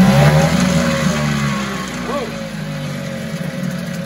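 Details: 1974 Mercury 4 hp single-cylinder two-stroke outboard with Thunderbolt ignition, restarted warm without choke after sitting 45 minutes: fires and settles into steady buzzing run that gradually quietens, no stumbling; runs like a top, normal running.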